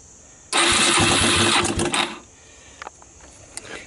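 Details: ATV with apparently failed AC stator converted to DC-powered CDI harness, choke set, fresh gas, oil checked: short crank, then the single-cylinder catches right away with a sharp rev before dropping back quiet; clean start.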